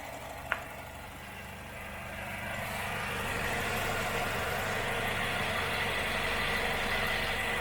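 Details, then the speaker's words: Car with automatic transmission idling with the hood open during a used-car check meant to last about 15 minutes: an even, smooth idle that settles slightly louder, with no tapping or stumbling. Normal idle. "Usahakan menyalakan mesin ini 15 menit. Didiamkan begini, kalau terjadi kendala pasti nanti mesinnya akan pincang."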